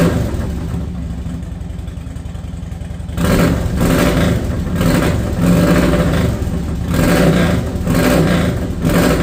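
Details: Harley-Davidson Dyna Wide Glide that sat, started after fuel pump replacement, recorded without the mic. Lumpy, loping V-twin idle, then crisp throttle blips rising and dropping cleanly, no misfire or knock; normal start and rev.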